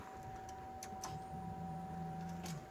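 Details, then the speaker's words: 1991 Chevrolet Caprice with LS swap, key-on after wiring work: quiet steady high whistle with a brief low hum as the fuel pump kicks on and primes normally. "What we're listening for is that fuel pump. Okay. If you didn't hear it, the fuel pump did just kick on."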